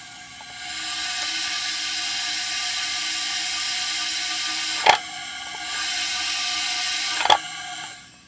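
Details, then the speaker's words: 2008 Hummer H3 with misfire, leak-down test on number 4 cylinder, mic at the throttle body, throttle closed then opened: steady airy hiss from the throttle body; air leaking past number 4 intake valves. "That's throttle closed. That's with the throttle open. Closed. [Music] Open. I'm pretty sure that picked up. So confirmed number four cylinder intake valves"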